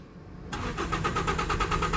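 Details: Toyota Vios gasoline engine with check engine light on: starter cranks at an even, fast beat and never catches, no fuel pressure; pump wiring tests good, cause a detached hose at the fuel pump in the tank.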